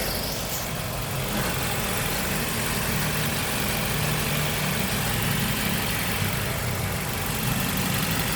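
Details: Nissan QR20DE engine at steady idle: loud cam/valvetrain clatter with a faint chirping or squeaking on top, which the owner suspects comes from the timing belt; source not confirmed.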